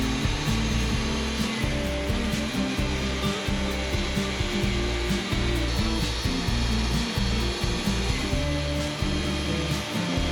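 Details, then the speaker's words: Dull band on a Wood-Mizer LT40 portable sawmill slabbing big Ponderosa pine gives a steady tonal howl over the engine drone; operator first thought he had hit something, band getting pretty dull. "one thing you might notice here especially if you run a mill or if you've just watched a lot of my videos the band was really howling you can hear that howl so I I thought you know I must have hit something it's getting pretty dull"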